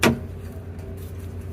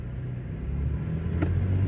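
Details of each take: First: 2016 Toyota Tacoma with rear air bags/lift kit, idling: one sharp metallic clunk when braking to a stop, the axle rocking because the air bag bracket is held by only one C-clamp. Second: 2016 Toyota Tacoma with rear lift kit/air bags, braking to a stop on a test drive after repair: low road and engine rumble with no rear clunk, previously a loud clunk when the rear articulated on braking; air bags now unaired.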